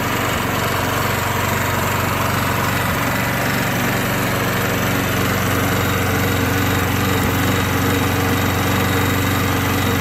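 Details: Old Craftsman lawn mower after refurbishment: steady, even small-engine drone with no misses, knocks or surging; runs healthy.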